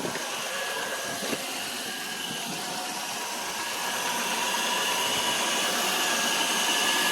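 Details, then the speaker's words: 2000 Chevy Malibu engine at normal idle after installing a new serpentine belt, tensioner and idler pulleys (old belt broke from a frozen idler pulley); steady, even whirring idle with smooth hiss, no belt squeal or chirp, not overheating. "Yeah, buddy, everything looks good. Bessie Lou's back on the road."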